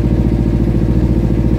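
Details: Kawasaki Ninja 300 motorcycle engine idling smoothly with a steady, even low pulse, no knocks or rattles; earlier no-start buzzing was from the kill switch, not the battery.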